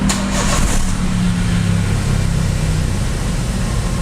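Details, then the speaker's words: Daihatsu Xenia/Toyota Avanza old 1000 cc, warmed up, AC off: after a blip the engine hangs high and drops very slowly, stopping at 1200 rpm instead of 900–1000 and rising further with AC on; high idle from a dirty idle speed control (ISC) valve. "Ini dia turunnya lama banget ya. Untuk RPM dia berhenti di 1200. Ya ini ya, jadi tanpa AC dia 1200, ketika di AC dia tambah naik, dia turun lagi."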